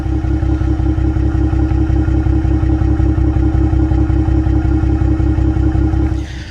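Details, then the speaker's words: 2025 Ram 1500 Rebel, twin-turbo inline-six SST, 2,500 miles, mic at the exhaust at idle; lumpy, uneven pulses with about two stumbles a second, multiple misfires with no check engine light. "yep you heard it she's definitely misfiring so why don't we take a look see what's going on in here"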